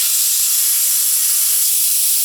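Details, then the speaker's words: Air Star 30 dual-head oilless compressor during preventive maintenance: tank bled through manifold bleed valve to check moisture and make it cycle, testing purge solenoid and leaks; steady even hiss with no sputter, normal bleed-down. "now in doing this we're going to check the tank which is one of the pm steps for moisture and we're also going to exhaust enough air to make the compressor cycle again so we can ensure that our purge solenoid's working and that we don't have any air leaks"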